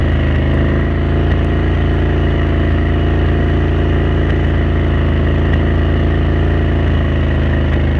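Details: Renegade 1000 V-twin at cruise: steady drone with faint irregular pops breaking the rhythm; intermittent misfire, cause not yet confirmed.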